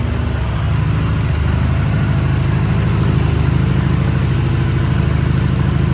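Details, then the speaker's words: VW Mk5 Golf with newly built 20VT engine with new rods, on E85 race fuel, first startup: steady even low idle with smooth regular beat, no knocks or ticks; running healthy. "so yes the car's running thank you Jamie he's he's happy now the car's running"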